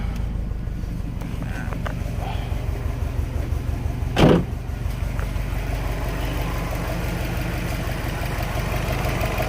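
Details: 2003 Subaru WRX Impreza just after fitting a new belt, alternator and aftermarket voltage regulator; low steady idle with even pulse and one brief bump midway; normal, charging reads 14.2 volts.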